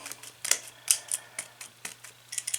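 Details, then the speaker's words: About 3-year-old bathtub drain stopper pressed repeatedly: sharp, thin, uneven plastic clicks as the cartridge clicks but won't lock down, meaning the mechanism inside is broken and the drain assembly needs replacing. "basically you see this this unit has got a little plastic cartridge here and that is supposed to click and lock you can hear it clicking but it's not locking"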